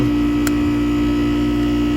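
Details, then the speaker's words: Goodman HVAC system on a no-cool call, outdoor unit after cleaning: compressor starts with a loud steady hum and low drone, sounding rough and strained, maybe pumping hard; fan suspected, gauges not yet fitted; cause unconfirmed. "all right it just took off so that's a good start sounds a little rough though"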